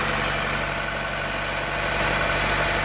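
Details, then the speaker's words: 2014 Chevy Cruze at a Copart auction yard, idling after cranking up: rough idle beating about four times a second under a loud constant sucking hiss; owner identifies the PCV valve vacuum leak as why it runs badly, possibly with a check engine light. "That little PCV valve is sucking. Yeah, so that's the issue what's causing this car to run messed up."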